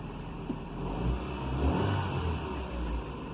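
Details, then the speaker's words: 2007 Ford Ka after coolant temperature sensor replacement, started on a jump pack; the low, even engine note rises smoothly when revved and settles back with no stumble or miss, running smooth. "started up nice quickly it's running smooth if i rev it up revs up nice and smooth"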